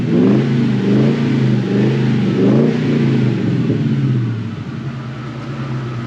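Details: Mustang revived after sitting nearly two years: strong rev rising then settling back to a steady idle, clean and even with no knocks or misses; healthy engine, though it still needs brakes.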